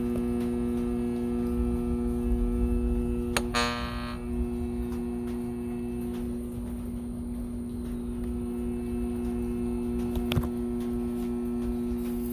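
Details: Arctic King window air conditioner found at the roadside: loud, steady low buzz at one pitch with a few clicks, compressor humming without running; compressor buzzing, cause not confirmed.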